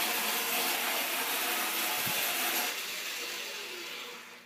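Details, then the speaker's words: Restored American Flyer standard gauge tinplate electric locomotive on its first test run after full reassembly: steady whirring rattle of motor and wheels easing off smoothly as it coasts down, nothing catching or grinding; runs perfect. "And it runs perfect."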